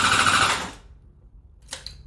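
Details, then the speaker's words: Honda CBR600RR no-start troubleshooting, starting fluid sprayed into the intake holes after airbox removal: short sharp rattling burst of firing under a second, then dies; spark confirmed, fuel delivery suspected as missing. "but we know that we hear the engine so we have spark so that means that we can we made an assessment and uh we understand now that we have a spark and we need fuel"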